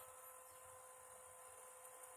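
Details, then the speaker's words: Old PlayStation 2 after repair of grinding and no-read fault, laser lens cleaned and tracks lubricated with white lithium grease: faint steady hum with soft high whine as disc spins up, no grinding; drive reads and plays the disc. "hear no grinding sounds no bad noises all right it's it's definitely playing the disc now without any noise so it's reading"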